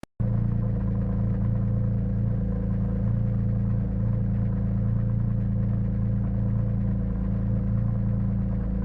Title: rough idle at start, settles after initial warm up